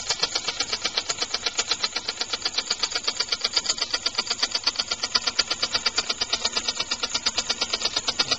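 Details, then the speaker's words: Homemade compressed-air engine with rotary valve, timing retarded and flywheel balancing holes drilled: quick, even air puffs at a steady rate with no skips; smoother, better low-speed running. "And get a lot better, a lot smoother operation, much better low speed operation, as you can see. But it's just generally balanced better."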